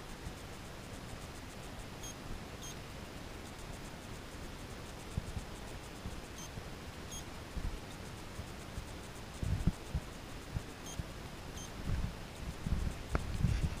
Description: GoPro Hero3+ Black Edition recording beeping sound